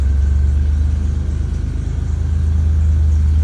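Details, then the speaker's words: 2005 Chevy Equinox, low power limp mode, after clamping a deteriorated rubber corner piece on the PCV line to fix a vacuum leak: deep, even idle with no stumble or miss, running much better, possibly not completely fixed. "and wow yep that's running a lot better I don't know if it's completely fixed but it definitely fixed something"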